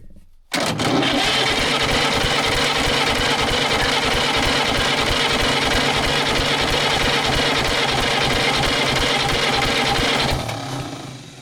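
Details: Pony starting engine of a 1940s Caterpillar D8 dozer unmoved for decades, cranked after cutting the magneto kill ground wire: steady chugging about three beats a second, never catching; no spark, magneto points to be cleaned.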